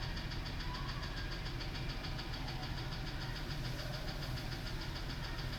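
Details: F-150 with 180,000 miles, idle: faint regular tapping knock, uneven as if a weak cylinder; cylinders two and six suspect, number two compression down 1%, not confirmed; replacement engine recommended; engine knock at idle.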